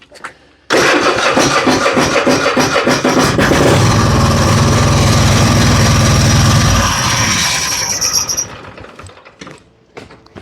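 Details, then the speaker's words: Husqvarna riding mower with Kohler 7000 series engine, previously a no-start from a fuel flow problem at the tank: catches right away on spray and runs strong and steady with even firing, normal start; debris suspected, new fuel filter planned. "Y'all hear him say fire in the hole. That's what it needed. It needs a fire in the hole."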